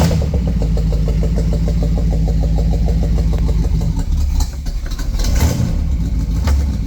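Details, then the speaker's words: Buick 455 V8 freshly started in park: slow, lumpy, heavy idle close to stalling; idle speed set too low, throttle very responsive, idle screw to be adjusted. "Idle scar needs to be brought up. Throttle is very responsive."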